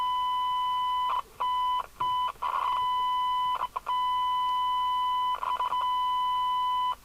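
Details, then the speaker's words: Jesan KR200 UK FM CB radio (27/81) receiving a signal-generator test tone on 27.089 MHz: harsh, awful audio with gritty overtones and dropouts; receiver badly off frequency, delta tune control noisy, poor sensitivity. "it sounds a bit harsh oh it sounds awful what I'm going to try and do is move the Delta tune for the best signal but it's a noisy control"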